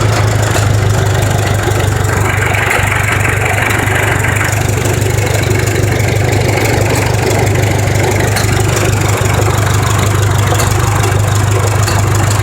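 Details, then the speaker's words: John Deere JD 400 tractor, about 1969-70, sat in a field for years, first start after cleaning out sludge. Low, steady thrum at constant idle with no ticking or stumbling; engine sounds healthy and starts right up. "idle sounds real good in there it really does the engine the engine sounds healthy oh this all right so ready starts right up"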